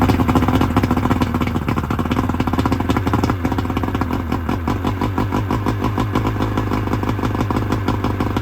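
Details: 1999 Bayliner Capri with 125hp Mercury outboard during rebuild, extra oil premixed in the tank, waiting for the thermostat to open: steady, even firing pulses at an unhurried idle with no misses; runs smoothly, idle slightly low, telltale working.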